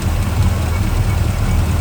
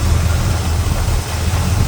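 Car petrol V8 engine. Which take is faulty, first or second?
first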